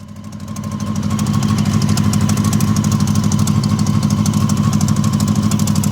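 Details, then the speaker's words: Honda CB750, 65,000 miles, barn find neglected about a decade, first run on syringe-fed fuel: four-cylinder tick over with a fast, even beat, sewing-machine smooth apart from a rattle; a normal idle. "I'm amazed at how smooth the bike is running at tick over. It is almost like a sewing machine. Well, it sounds like one anyway."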